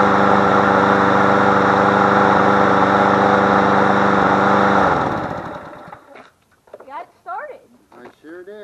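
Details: Push mower engine moved onto a different MTD deck, started first try after priming with gas. Steady, even buzz with no hunting or surging, then winds down cleanly at shutoff. Running properly.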